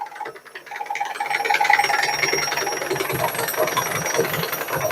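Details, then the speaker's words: Washing machine in spin: heavy, irregular knocking and banging that grows louder as the spin speeds up, caused by the concrete counterweight breaking loose. "Şimdi tekrardan sıkmaya geçti bakın sese çok zangır zangır zangır çalışmış biraz da yükselecek"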